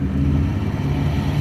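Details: 1953 Ford Customline engine revved after homemade exhaust crossover pipe repair: deep smooth note rising and holding, no knock or tapping, sounds okay; oil pressure was low and drops at idle, owner suspects clogged filter.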